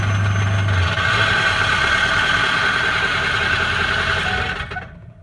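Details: Early 2004 Ford F-250 6.0 diesel idling: rough gritty grind over the clatter and a steady high ring, then shutdown; cause not yet clear.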